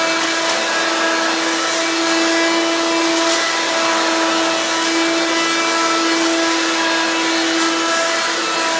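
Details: Hoover Quik Broom II S2141 stick vacuum damaged in shipping; very loud, steady high-pitched motor whine at an even pitch, louder than an S2095; owner unsure if the shipping hit unbalanced the motor or broke the fan.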